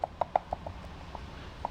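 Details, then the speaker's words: Mercedes Vito 638 steering tie rod, removed from the rack, rocked by hand: sharp hollow metallic clacks from a worn inner ball joint that feels tight but sticks, the knock heard from the rack; fix is a new tie rod. "А так вот, видите, вот именно тот стук, который исходил со стороны рейки. То есть это стучал шарнир рулевой тяги."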